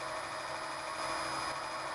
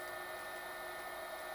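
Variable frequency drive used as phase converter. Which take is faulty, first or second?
second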